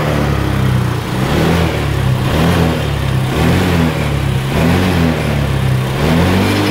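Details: Honda Vario 125 injection scooter after replacing the cam rocker arm that caused harsh engine noise: smooth, even idle rising and falling cleanly with throttle blips, no tapping or roughness; healthy running.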